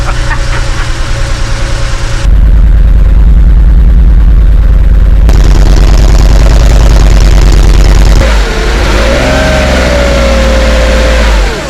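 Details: 1985 Porsche 911 Cabriolet first start after new crank/speed sensors, plug leads, spark plugs and distributor cap; catches, steady idle, revs cleanly up and down, no knocks or misses.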